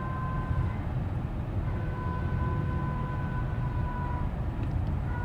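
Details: 2012 Cadillac CTS4 on road, from 30 mph up: clear whine on any accelerator touch, stopping on release, higher with speed, in all gears and neutral, also with cruise control; whine on acceleration.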